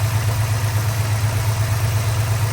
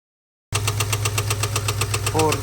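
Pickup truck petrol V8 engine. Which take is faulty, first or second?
second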